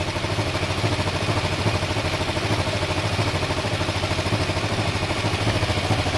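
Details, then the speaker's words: Restored Kawasaki ER-5 twin on a test run, bodywork off: idle with a pulsing beat that wavers slightly, a tiny bit jumpy rather than dead even; mildly uneven idle, cause unconfirmed. "sounds a tiny bit jumpy doesn't it"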